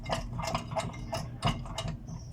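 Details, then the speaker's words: BMW E36 316i, raised front wheel rocked by hand: irregular light clicks and clunks that sound like something loose. Bad wheel bearing or hub suspected. "so this is about it we can move and as you can hear the car sounds like the bearings out or the Hub"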